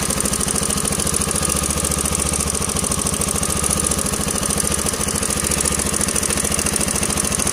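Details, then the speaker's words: Yamaha LC135 motorcycle single-cylinder at steady idle: constant rapid metallic clatter at about three to four a second; likely a slack timing chain. "Ini kemungkinan besar joknya rantai ataupun temen sudah kendur ya saja punya bunyi memang sangat kentara dan memang bunyinya memang terdengar ah ibaratkan macam rantai itu sudah kendur ya"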